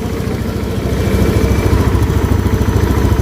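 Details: Honda Beat scooter that died on the road with low compression from dirt-stuck valve, after spraying carbon cleaner through injector port/air box while kick-cranking: starts on the normal starter and idles with quick, even putter, no misses; compression restored.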